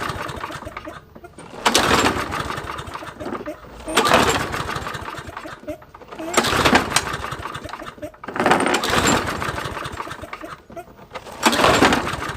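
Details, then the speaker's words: Toro mower with Briggs & Stratton engine, oil topped up with SAE 30; five pull-starts about every two and a half seconds, each a brief chuffing burst that dies at once; no fuel reaching the carburetor: cranks but no start, fuel starvation. "all right so after like 10 hard pulls i am determined that there is no fuel being allowed to go through the carburetor for it to start correctly"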